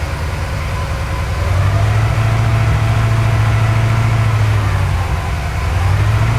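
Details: Porsche 928 V8 with mixture well off, during mixture and idle adjustment: low rumbling idle with uneven stumbling beat and wandering revs, missing a lot on acceleration; misfire, timing to be checked.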